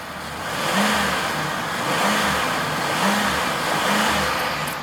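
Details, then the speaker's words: 2005 Ford Expedition King Ranch 5.4 V8 Triton, 79k, LPG conversion starting on petrol until warm: four smooth rev swells about a second apart, clean and even, no misfire or knock; healthy V8. "Oh god, it sounds good. It does sound good."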